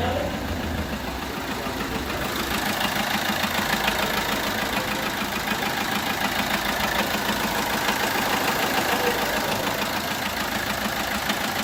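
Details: Peugeot 1.3 HDi diesel idle with an uneven, regular puffing tick about three per second; similar to injector compression loss, but cylinder four loses compression past a bent valve that doesn't fully close.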